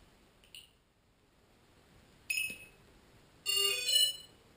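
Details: Lotus T580 quadcopter: three separate bursts of high beeps with no motor sound between; motors stop after a few seconds and won't restart, flight controller blue LED goes off at the last three beeps; cause unknown.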